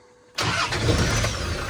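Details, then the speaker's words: Land Rover Defender TD5 diesel, restoration, fuel pump heard priming before cranking: after a second of quiet it catches first time and settles to an even, steady idle; normal start. "Yeah, first time. Brilliant."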